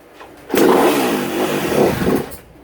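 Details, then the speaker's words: 2016 Kawasaki KX250F that wouldn't run: catches and sputters under two seconds then dies, as if line fuel pressure is used up; owner suspects the All Balls fuel pump isn't being powered/rejected; not confirmed. "yes it fired up right there for a split second and just and that's just there's fuel pressure built up in the fuel line and then once it once it uh uses up all that fuel pressure in the fuel line it just dies"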